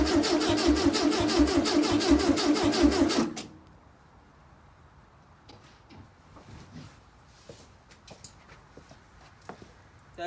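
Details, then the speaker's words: 1968 VW Beetle garage find, new condenser and starting fluid: starter churns at an even beat for three seconds and never catches; distributor was not fully seated after removal so it wasn't spinning. "alright so I found a simple mistake distributor when I took it out wasn't seated fully so it wasn't spinning obviously stupid mistake on my part"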